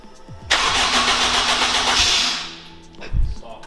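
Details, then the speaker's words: Honda Integra DC5/RSX with a new Racing Circuits engine harness, first start in 8 months after adding nearly 20 litres of fuel: it catches cleanly, flares to a strong rev and settles; normal start. "cool we have a working vehicle today just needs to basically be given a wrap"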